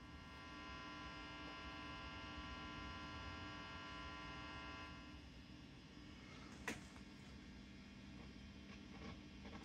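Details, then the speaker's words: Matchless Lightning Reverb tube guitar amp with old, slightly rippling filter caps, reverb off, master full: low steady 120-cycle mains hum, tubes already swapped. "you have a a little bit of 120 with um with the Reverb rolled all the way off and it's not excessive but it's there"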